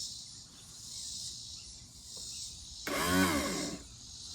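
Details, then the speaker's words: Tilt and trim pump motor on a 1989 Astroglass bass boat with 150 HP Mercury Black Max XR4, repaired after seizing from water and rust, not yet filled with fluid: short whirring burst about a second long; the motor runs. "I've got the trim motor back on, and it does actually work when I press the button. You can hear it."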